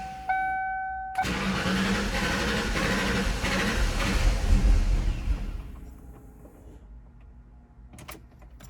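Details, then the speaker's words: 1995 Ford Mustang GT non-runner, lean with no power after MAP sensor cleaning: short crank, catches and runs unevenly 1–2 seconds, then fades and stalls. Owner suspects a bad fuel pump; runs with MAF disconnected; low fuel pressure. "What was happening was you would start it up, it would run for about 1 to 2 seconds, and then it would stall."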